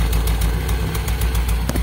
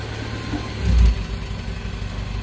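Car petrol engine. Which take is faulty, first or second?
first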